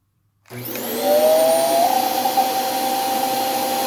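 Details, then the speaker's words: Hoover vacuum run briefly, brush roll already noisy: motor spins up into a steady whine climbing to a high pitch and holding; unhealthy sound that seemed to go away when the HEPA filter was removed, pointing to a restricted filter. "so you can hear the sounds that it's making is not not super healthy sounding but i if i remember correctly i did remove the hepa filter and that got rid of those sounds"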